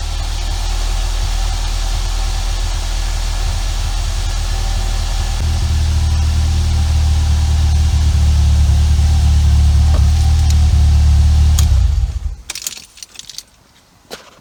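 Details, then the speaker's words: Ford Fiesta ST150 (Mk6, petrol) just started during service, car on jackstands: smooth even low idle with slight rise partway, steady rhythm, no knocks, shuts off cleanly; normal idle. "So now it's just been started."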